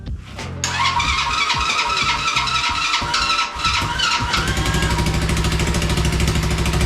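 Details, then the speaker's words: Cheap Chinese mini quad after swap to a budget big-bore engine, carburetor jetting uncertain: cranks, catches and settles into a quick, steady single-cylinder idle with a crisp even beat; normal idle. "woohoo that was way easier than I thought it was going to be wow that thing idled phenomenal"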